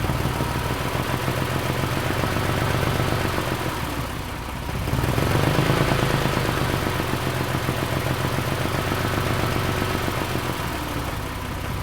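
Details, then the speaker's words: Porsche 997/987 flat-six idling with a light, quick ticking, mic left in place, that vanishes once revs are lifted slightly; it worsens in drive under torque-converter load. This is normal behaviour. "So you would have just seen there how the ticking noise completely went away just as I lifted the revs just a little bit."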